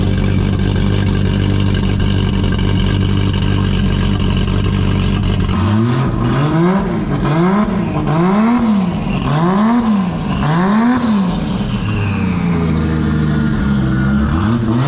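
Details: Toyota 2JZ-GTE in a Commodore project car after first start; one cylinder had no spark output, found and fixed with a wire. Steady even idle then quick rev blips rising and falling cleanly, no misfire.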